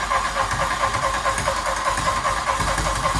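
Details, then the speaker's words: Barn-find Mk1 VW Golf GTI rebuild, start on a jump pack and booster after fuel reached the engine: raw, loud, rapid popping bark with a rough edge at idle, running with no exhaust pipe fitted yet. "yeah no exhaust pipe mate we did forget about that no we'll leave it in guys i said was gonna fit the exhaust completely forgot about it but the fuel's got up there and it's firing up"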